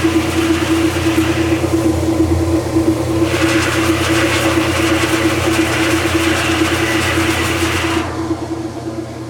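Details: Kenmore direct-drive washer, running with lid open after stopping halfway through cycles: steady motor hum with rhythmic agitation swish about three strokes a second and water noise; agitating normally.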